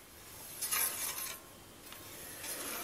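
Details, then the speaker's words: Bicycle hydraulic disc brake: a high, dry scraping swells and fades as the wheel is turned, where the rotor rubs the pads at one point, making noise and dragging the wheel. "tekeri çevirince disk belli noktada baltaları sürterek duyabildiğin gibi hem ses yapıyor hem de tekerleğe fren"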